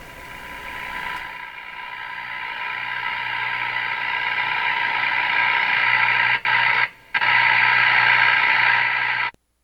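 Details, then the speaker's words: Northern Electric Baby Champ AM radio after IF transformer alignment: loud harsh hiss and steady whistles, no clean programme; badly distorted output, attributed to a strong interfering noise signal near 450 kHz against its 455 kHz IF. "well this that's really it sounds terrible it just sounds horrible"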